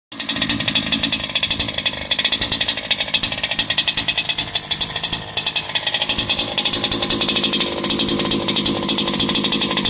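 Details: Turtle Racing V2 pull start on a small two-stroke engine at idle: buzzy idle with fast steady clicking that fades when the throttle opens; the starter dogs touching the flywheel, considered normal and harmless.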